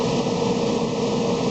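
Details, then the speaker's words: Ford Explorer idling in garage right after fuel filter replacement: steady even idle hum with no misses, ticks or stumbles, no leaks seen; normal idle. "Now I'm going to go ahead and hopefully she all works. Okay, she's running."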